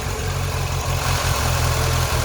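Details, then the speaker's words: 2000 Ford Fiesta MK4, 1.3L 60hp Endura, with unstable idle. With the idle stepper motor (idle air control) unplugged, the idle sags and stumbles unevenly and gets worse, proving the motor works. "Et là, il perd son ralenti. Là, il est moins bon. C'est bien la preuve qui fonctionne puisque il se remet en route."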